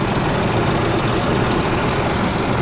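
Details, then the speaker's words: Salvage-auction V8 with clean oil: loud idle with an uneven, lumpy beat and occasional stumble. Owner suspects a miss on one cylinder, likely a coil pack needing a diagnostic to find; not confirmed. "It's just a miss on one cylinder. That's nothing too serious, I don't think."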